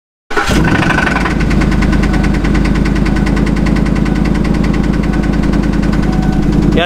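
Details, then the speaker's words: Truck just after starting: a sharp, regular knock about eight a second over the idle, yet no miss and oil pressure perfect; owner suspects a lifter or anti-lash follower on one side, unconfirmed. "hell of a knock on truck runs perfectly doesn't have a miss oil pressure perfect sounds like it's coming from this side and as a lifter but I wasn't positive"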